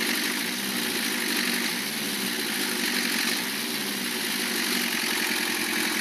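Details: Lancia Thema 2.5 TD diesel after overhaul, idling: repetitive knock riding on the diesel rattle, evenly spaced with engine speed, near the head; cutting injectors 2 and 3 reduces it only slightly; timing marks correct, oil pressure 2 cold, 1.5 warm; piston suspected.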